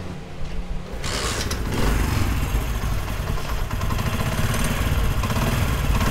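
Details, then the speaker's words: Motorcycle engine after repair (parts washed and refitted): catches and settles into a smooth, even idle with steady low thump, no knocking or rattle; normal idle. "तो आप माशाल्लाह देख सकते हैं engine का sound ज़बरदस्त हो गया।"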